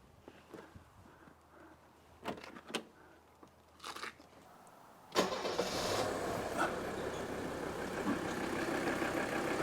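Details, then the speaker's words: Old Mercedes 300D diesel after new engine and air filter housing mounts: cranks and settles into steady idle without rattle or cockpit vibration, slight rock remaining, possibly from unbalanced fuel injectors. "no more rattle no more vibration in the cockpits listen to that look at the air cleaner housing a little bit of vibration you know this is not perfect there's a little bit of rock to it"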